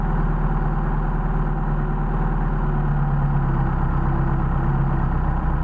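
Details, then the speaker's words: Mercedes 190SL with worn Solex 44PHH carbs idling high at about 1400 rpm. Choking the intake air brings the idle down, showing too much air passing the second barrel when it should idle on each carb's first barrel. "We're still idling at about 1400. Popped up a little bit higher. So the problem is we're just processing too much air through here."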